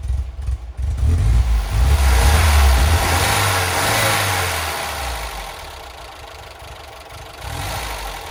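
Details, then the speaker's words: Classic Ford Fiesta barn find started after years in storage, cold and on choke: catches and revs up, then settles to a fast, even choke idle with a steady low beat. Normal cold idle. "it runs and well isn't it just a Charming old car and that sounds really really nice we're on choke at the moment for those of you that remember what choke is so I Look to drop that back in a bit when the temperature comes up"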